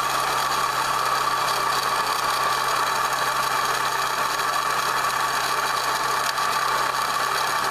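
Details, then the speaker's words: Toyota Echo engine idling after an intake replacement, with the radiator removed and no coolant: a constant harsh metallic rattle with a steady mid-pitched ring over the idle; worn water pump bearing, the water pump is finished. "Well, that's nasty. Okay, sounds good. Buddy, water pumps had it."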